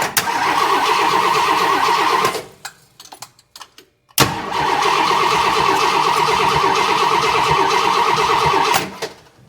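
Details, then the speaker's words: Abandoned 1968 Ford XL, 390 Z-code big-block V8 with a new 4-barrel carburetor, timing chain, points and condenser, cranks and catches as fuel arrives with a lumpy galloping beat of about four pulses a second; slight front exhaust leak remains. "Something sounds like it's galloping. I'm starting to get fuel."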